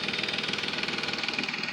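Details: Nissan Maxima 3.5 with excessive lifter noise worst on first start, after Motor Medic flush and synthetic oil change: sharp even ticking about ten times a second over quiet idle; lifter noise unchanged, flush did not fix it.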